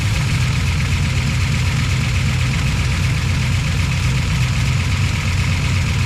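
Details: Project car V8 after plugging in the correct ignition box: deep, steady idle with an even low burble, no misfire or loud tapping. Lifters sounded noisy on startup. Healthy idle.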